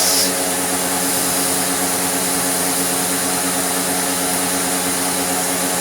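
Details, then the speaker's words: Restored Dirt Devil Eclipse Plus 6750UK vacuum on tool suction: steady rushing motor roar with a hissy airy edge. Air escapes from everywhere once the hose is blocked, so tool suction is weak; only the floor-head path is properly sealed. "But, you know, as soon as you put any sort of blockage on it, you probably heard it, air just escapes from everywhere else."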